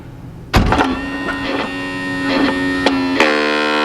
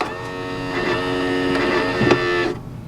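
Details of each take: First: 2019 Tiffin Open Road 34PA RV Kwikee entry step motor: skipping clicks then steady high whir with no engagement, step doesn't move; stripped gear, motor itself working. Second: 2019 Tiffin Open Road 34PA Kwikee RV entry step motor after stripped-gear repair, extending as door opens: smooth steady hum about 2.5 s, no grinding or clicking; normal step motor operation in this direction only, retracting still noisy.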